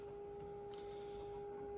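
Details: Mid-1950s Crosley JT3 All-American Five tube radio, modulated IF signal injected at the variable capacitor with a couplet cap bypassed: only a faint thin test tone; weak audio from an open plate resistor in the couplet.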